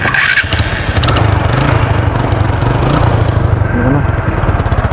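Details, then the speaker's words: TVS Apache RTR 180 with loose silencer support; after tightening the side bolts the sound is still changed, traced to the loose nut at the silencer line: lumpy single-cylinder idle with a raspy, puffing exhaust note; exhaust leak. "सो अभी भी bike की आवाज़ change नहीं हुई यानी यहां से इसका जो साइलेंसर वाली लाइन की लूज है"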